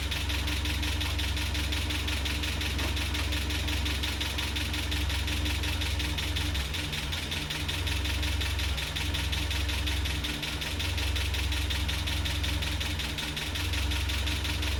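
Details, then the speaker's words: Land Rover Series 3, first run in months after head gasket replacement, at idle before timing check: rough idle with light fast ticking clatter over low engine note; owner suspects valve clatter or low oil, not confirmed. "That sounds pretty good. Bit clattery. Where's that clatter coming from? What's that, valve clatter? Not enough oil?"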